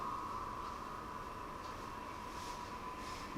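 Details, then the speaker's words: Ductless mini-split indoor unit, 7 years uncleaned and previously noisier, after cleaning the fan and evaporator coil and refitting filters, running cooling mode at maximum fan; soft steady airflow hiss and faint hum, no rattle; normal fan operation. "Yeah, I don't know. It's quiet enough. I don't hear the fan rattling, which is the big thing."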